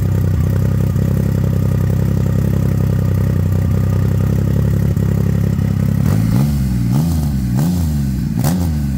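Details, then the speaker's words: 2,500 cc three-cylinder motorcycle, battery read 11.8 volts: even, steady idle for six seconds, then clean rising and falling throttle blips with no knocks, said to sound like a jet ski; normal idle and revs. "Three-cylinder. Kind of sounds a lot like my jet ski, I ain't gonna lie."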